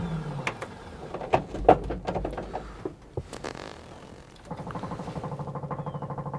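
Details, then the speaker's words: Corvair-powered Baja Bug, first start after six months sitting, cold weather: slow starter whirring in short tries with clunks between, then steady cranking near three per second, reluctant to fire; owner unsure if it needs choke. "once it turns over you can't just hit it again you gotta go all the way off and then come back on it's really annoying especially if you're rolling because the wheel locks"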